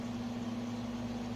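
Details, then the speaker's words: Repaired Sunbeam Carousel rotisserie, with its burned-out motor repaired, near the end of a 20-minute test run. A steady, even, low motor hum with no catching or labouring; the basket turns well and nothing is smoking. "Basket did very well. It's not on fire by any means. It's not smoking like a pig. It's doing what it's supposed to do."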